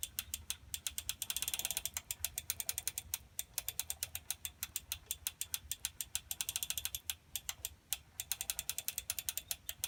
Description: This is what it sounds like when a chain is too tight. The Meridian tricycle has 2 chains. The primary (front) chain came from the factory set too tight.